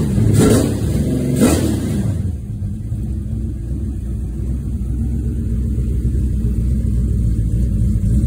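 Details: Rebuilt 1970 Pontiac GTO 400 (bored .030", KB pistons, ported #13 heads, Crower 60916 cam, Johnson lifters, 800 CFM Quadrajet, Ram Air manifolds, FlowMaster Super 44 mufflers) on run stand outdoors: two quick throttle blips, then deep even burble settling to a smooth lope; normal running and revving.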